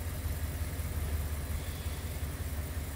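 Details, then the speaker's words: 1957 Ford Thunderbird after a complete ignition replacement (Pertronix electronic module, high-energy coil) and tuning of the rebuilt carb. Quiet, smooth, even idle with no misses. A brake booster vacuum leak still causes stumbling when braking at a stop; normal idle. "you can hear how quiet the engine's iding and smooth it's running now tirely different"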